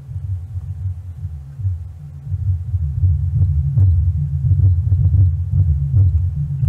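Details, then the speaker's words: Miller & Kreisel M&K MX-90 subwoofer amp, after replacing the defective bass level pot that caused a low rumble, driving a six-inch speaker: deep, clean bass pulses with no crackle, buzz or dropouts; working normally. "and it's working wow it's working really good"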